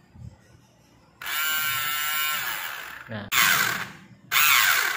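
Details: Mini portable sewing machine that won't move: high, thin electric whir in short bursts with no needle thump; the motor spins freely because its small drive gear slipped from forcing stitching through hard fabric, and the gear risks cracking.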